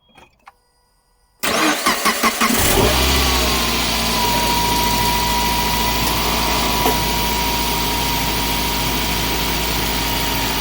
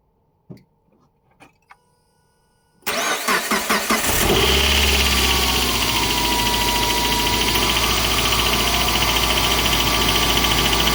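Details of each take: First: Suzuki J20 petrol engine cold start after replacing an accessory-belt pulley with a bad bearing: cranks briefly, catches and settles into a smooth, steady idle; the earlier tapping/knocking is gone. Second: Suzuki J20 petrol engine starts and idles with a steady knocking, tapping sound. The cause was a worn bearing in an accessory belt pulley, and replacing the pulley cured it on a cold start.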